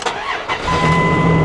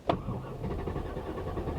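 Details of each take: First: Old two-wheel-drive Dodge Ram truck at an auction: short crank, catches within a second and settles straight into a steady, even idle; a healthy start. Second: Truck at auction, hot restart after running: starter turns several seconds in short uneven beats before it barely catches; afterward SRS malfunction warnings and a starting misfire appear; hard start.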